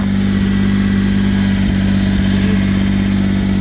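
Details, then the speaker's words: Low-mileage Suzuki Carry kei truck, heard at the original exhaust tailpipe: smooth, even idle hum, steady low note, no ticks, misses, leaks or smoke; a healthy motor. "it's a healthy [Music] motor that's the sound of a healthy motor no smoke nothing"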